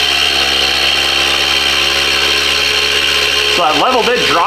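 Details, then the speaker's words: Harvest Right medium pro freeze dryer vacuum pump, plugged directly into power to prime it and check oil level on first run: steady, fairly high, even hum, very quiet, no knocking or rattling; normal running. "It is very quiet. I'm very pleasantly surprised how quiet it is."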